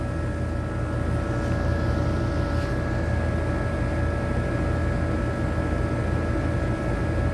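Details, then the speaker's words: HVAC condensing unit on a hot day of 100-plus degrees with no cooling: condenser fan runs steadily but compressor only hums or buzzes without starting; cause later found to be a burnt wire connection, not a dead compressor; system also low on refrigerant. "I think we got a dead compressor um see the condenser fan motor on contact pull in condenser fan motor point8 but watch the compressor I hear it like making a buzzing noise"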